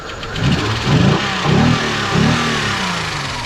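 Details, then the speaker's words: Kia van that sat for several years, mouse-infested, starting for the first time with a charger on the battery: engine surges in uneven lumps, then settles to a ragged, wavering idle. Rough running, possible misfire, not confirmed. "sounds like crap well let's shut it off here and we'll we'll check everything else out real quick so we don't hurt it until later"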